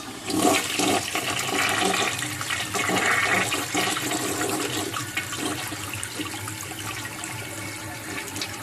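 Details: 1958 Canadian Standard Cadet toilet flushing a load of paper towels: a strong rush of water swirls down, then gurgles as the bowl drains; a clean, forceful flush that clears the load.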